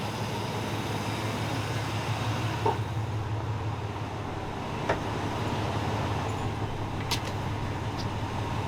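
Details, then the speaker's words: 2002 Chevy S10 Blazer bought cheap, cold engine idling before warm-up, 40 psi oil pressure, alternator charging: even low steady idle rumble with no knocks, misses or ticking; sounding good, normal idle. "we'll let this thing run a little bit more sounding good sounding good"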